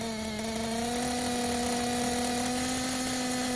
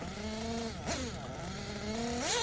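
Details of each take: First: Tekno buggy with a Blok 21bm nitro engine, bottom-end needle leaned after earlier hesitation on punch from 10–15% throttle: steady high idle buzz, then a crisp, snappy rev and clean drop back; clean idle and throttle response, bottom end tuned right. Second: Tekno buggy Blok 21BM nitro engine warmed up, first leaning adjustment on the top-end needle: high-pitched buzz rising and falling through short revs, soft and blubbery at the top; still rich on top-end needle.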